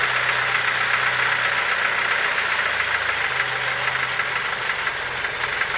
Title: Стук в двигателе